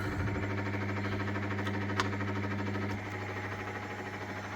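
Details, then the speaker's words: 1997 Myford VM-F milling machine table power feed at middle setting C: steady low motor hum with light regular gear tick about three per second, easing slightly midway; feed runs normally. "that's a bit faster. That's only in the middle though. So that's the that's in the middle. That's C. And that's it working."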